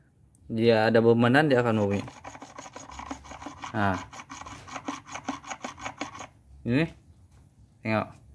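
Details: Perodua Myvi manual gearbox, opened up, bearing turned by hand: a rough, gritty rasp at three to four strokes a second with squeaky bursts. The car had a harsh, squeaky noise with the engine running that stopped with the clutch pressed and returned on release; worn bearing.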